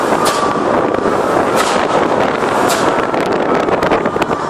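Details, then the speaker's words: Mercedes SLK supercharger (Kompressor), fixed by replacing the ECU MOSFET, airbox opened so the bypass flap vents under the engine: engine rises under throttle, soft airy whoosh each time the gas is lifted; bypass valve working like a blow-off valve. "Every time you come off the gas, you get the noise."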